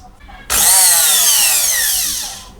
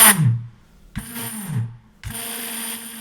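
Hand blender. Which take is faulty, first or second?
second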